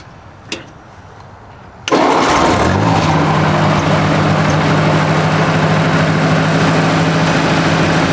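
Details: 1964 Ford 4000 tractor, carburetor fitted 2010, 91 hours on tach: cranks briefly, catches cleanly, settles into a steady even low idle; oil pressure about 40 psi, charging, temperature never high; normal start and idle.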